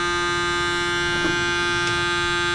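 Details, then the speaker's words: Chevrolet camper conversion being retrofitted with electronic fuel injection instead of a carburetor, about 20 liters of gasoline in the tank: a steady, even mid-pitched electric buzz as the in-tank fuel pump primes and flushes fuel before the line is connected to the throttle body. Normal priming. "Vamos a hacer eso. Deberíamos oír la bomba de gasolina del tanque empezar a empujar la gasolina hacia acá. ¿Se escucha?"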